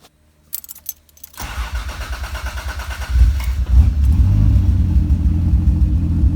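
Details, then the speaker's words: Toyota Supra engine at idle after cleaning up the fuel map, which had been running a little rich. Short starter whir, then it settles into a smooth, even idle with no misses. AFR should be about 15 but reads 16, sometimes 13, probably from the restart. "There you go, nice and smooth, idle. AFR should be around 15, it's a little bit 16, sometimes 13."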